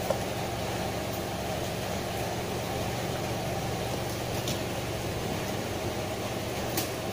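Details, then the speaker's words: Denpoo twin-tub washing machine after replacement of the dead spin dryer motor and spin seal, spinning clockwise: a steady, even hum with a smooth spin and no rubbing or knocking. The new seal gives a faster, smoother, quieter spin; it runs normally. "nah ini karena kecilnya kita ganti yang baru dia pasti putarannya lebih share ya atau lebih kencang dan lebih halus suaranya karena Seal pengering itu berpengaruh di putaran ya"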